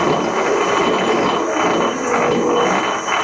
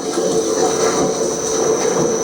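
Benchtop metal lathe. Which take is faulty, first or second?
first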